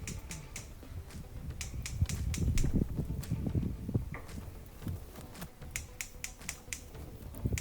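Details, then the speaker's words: Stove burner igniter after cleaning a possibly clogged brass burner orifice (likely dried spill residue) and the igniter with electrical cleaner. Crisp, sharp ticks in quick bursts, about three a second, strong sparks, and the burner now lights: normal igniter sparking. "We can see the sparks pretty strong. It looks good. That time it lit."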